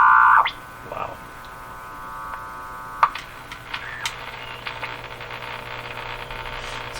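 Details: Eaton's Universal Electrohome floorstanding tube radio after replacing last two wax capacitors: bright whistle fades, leaving a steady low mains hum under faint hiss; hum and squeal present, source not pinned down.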